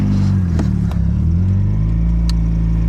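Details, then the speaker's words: Turbo Nissan 240SX S14, first start after nearly three years in storage on jump pack, cold, untuned and running rich, oil pressure 40-50 psi; steady quick idle, even drone, no misses; idling high, possible vacuum leak suspected. "We got a runner after a really long nap. All right, it's idling pretty high."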